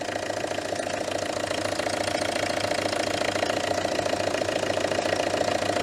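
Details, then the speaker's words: Citroën Berlingo HDi diesel after MAF replacement, still running rough: a lumpy, uneven idle with a rapid knock about three times a second over a drone. Bubbles were noticed in a fuel pipe; cause unconfirmed. "oh no that is not a Happy Engine at all"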